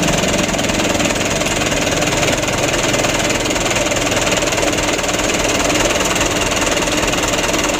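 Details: 2008 Mitsubishi Canter 125 diesel truck idling after tuning for shaking, long cranking and low power; steady, even clatter at about two beats a second, unchanging throughout: the engine idles smoothly and is healthy.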